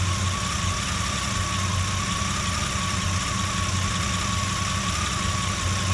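A loud, deep idle with an uneven low thump under a steady whine near one kilohertz. The rough idle has no clear cause.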